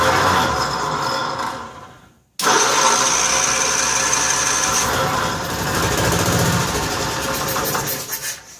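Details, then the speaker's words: 1955 Cushman Truckster, cold start after sitting a couple of years, gas just added: repeated cranking with brief ragged firing that won't catch. Hard starting; owner suspects air in fuel system (bubbles), slight fuel leak, needs fuel bowl gasket. "Do you see air coming out again? Air bubbles. So I think we're still getting air out of the system."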